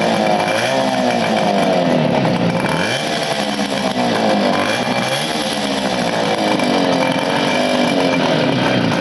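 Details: 1975 Motobécane Motoconfort 125 LT2 two-stroke, first start after restoration with new crankshaft and gearbox bearings: buzzes crisply, revs rising and falling cleanly, no knocks. Running healthy.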